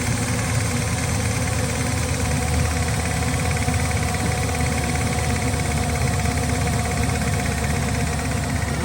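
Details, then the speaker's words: Engine at idle with a faint, quick light tick over the engine note; owner suspects a rear lifter but is unsure; ticking at idle. "sounds like it's a back lifter."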